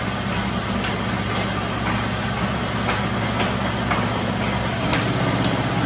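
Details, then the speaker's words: Old ship motor used as single-phase rice mill motor, running on 195 V drawing only 9 A per utility meter: steady even hum with soft regular beat about twice a second, no grinding or squeal. Normal running. "দেখতে পাচ্ছি এখানে voltage 195 এবং 9 ampere মাত্র বিদ্যুৎ খাচ্ছে আমাদের মোটরটা।"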